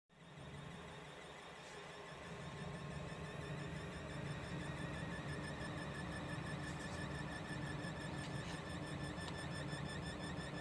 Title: EVGA SuperNova 1050 G fan squeal/noise issue